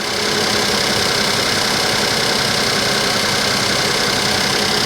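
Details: Suzuki Vitara petrol engine that earlier would not start: an uneven, stumbling idle with a skip every few turns, a misfire. Cause unknown; owner suspects sabotage by the previous owner.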